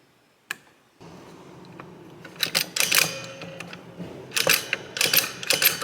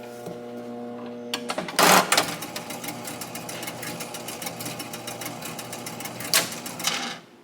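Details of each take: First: Barn-find 1961 Gottlieb Corral pinball machine, stepping unit after re-indexing: crisp mechanical clicks about two a second, no grinding or hang-ups; contacts step properly rivet to rivet without catching or stopping early. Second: Barn-find 1961 Gottlieb Corral pinball machine, stored in a shed since at least the mid-1990s, during repair: steady fast relay clatter keeps running on after scoring and never settles; the 100-point reload relay is stuck again.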